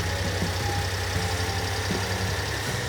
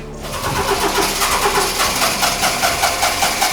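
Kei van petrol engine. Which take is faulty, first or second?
second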